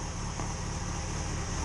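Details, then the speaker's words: 2005 Yamaha FZ6 warm idle after two years unused, following annual tune-up (oil, filters, coolant, spark plugs, fresh fuel, primed fuel system): smooth even low idle, no knocks, ticks or misses; healthy. "she's back to life. Yep, she's warm. She sounds good. No issues."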